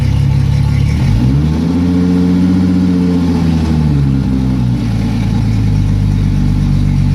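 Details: Yamaha F225 outboard: idle climbs on its own, hangs, then sags unevenly; hunting, surging rough idle, revved up and died on its own, cause not identified.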